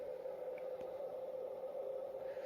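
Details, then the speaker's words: Pecron E600LFP portable power station cooling fan, running as the unit begins pulling watts after about a minute of calibration. A soft, steady mid-pitched hum with no rattle, quieter than the Bluetti's fan. Normal. "And now that turns red, and then that turns on. But the fan is quieter."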